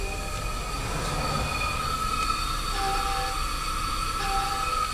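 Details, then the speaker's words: International truck with the engine running and air pressure building: steady hiss and airy tones from the air dryer. The owner isn't sure but thinks it's probably restricted and needs a change; cause unconfirmed. "that's the air dryer so what i'm not really positive about air dryers you really don't deal with them that often in smaller trucks i'm thinking it's probably restricted or something like that"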